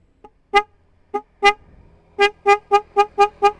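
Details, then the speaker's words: Yamaha Vixion motorcycle, single horn tested before the upgrade to two Denso snail horns on a relay: short toots on one thin mid-pitched note, then six quick blasts; it works and is loud but sounds poor and draws heavily on the battery without a relay. "jelek guys, kayak odong-odong. Keras sih keras, tapi suaranya single jadi jelek guys, dan memakan baterai atau aki ya guys, banyak ini kalau nggak pakai relay."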